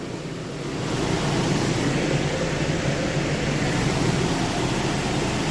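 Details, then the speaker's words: Nissan idling after fan clutch and belt replacement: low even hum, soft steady rumble, no belt squeal or chirp; quiet normal idle. "I will check the belts now. How quiet it is."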